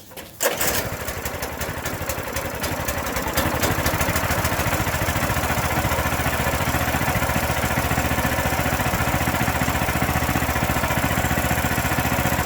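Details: A new Powermate tiller from Home Depot starts on the pull after assembly, fresh 4-stroke oil and gasoline, and first fuel-on. The single-cylinder engine fires right up and holds a quick, even beat at steady speed, running healthy.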